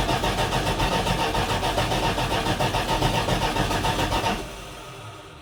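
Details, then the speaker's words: 1980 Dodge W200 truck after restoration, first start, carburetor dry and fuel pump still priming: even, brisk cranking about four seconds without catching; no start from fuel starvation, fuel later poured into carburetor bowls. "It's going to take a while to pump up, I think. I'm going to have to put some gas in the carburetor."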